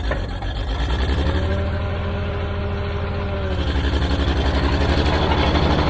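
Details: Old Caterpillar D6 dozer diesel started after fuel was found to be the problem: settles into a steady, even low thrum at idle, no misses or knocks; normal running.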